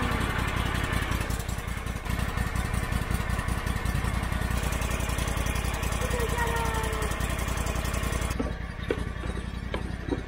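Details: Lawn mower after a hydro pump rebuild and hydraulic flush, run on a jumped new battery. Steady, even small-engine putter at constant speed with no knocks or surging; running smoothly.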